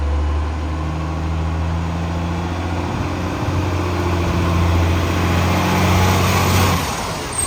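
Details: Garbage truck with a severe exhaust leak: deep diesel drone with a steady puffing pulse, about four per second, riding over the engine.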